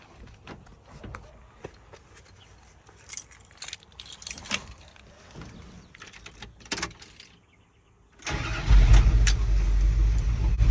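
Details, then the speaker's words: 1981 Dodge Ram 350 V8 with an Edelbrock 600 CFM carburetor at idle before the fix: lumpy, uneven beat, running lean on one side from a clogged idle circuit; suspected sludge, cleared by blowing compressed air through the idle circuit. "so it sounds like a four-cylinder Model A or something like that until you get up over the idle circuit"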